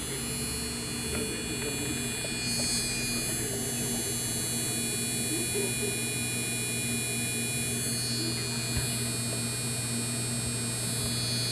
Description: Just 4 days and the card is starting to make this noise when i'm playing Dragon Age Inquisition on Ultra at 1080p...